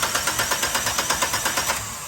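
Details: Gas-fuelled car with hard starting and rough running: starter cranks in an even beat of about eight turns a second but the engine never catches; cylinder 4 fuel injector leaking, blamed on a never-changed gas filter; injector and filter replaced.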